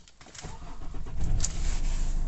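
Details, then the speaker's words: Nissan Navara D40 2.5 dCi after a fix for hard starting, shaking, stalling and power loss (codes P1275 fuel pump, P1622) and clearing the codes: a brief crank, then the engine catches and builds a steady, even rumble. Engine light off, full revs restored. "Oh, engine light's gone. That's brilliant news there. Yep. So it looks like that's all sorted. We've got full revs."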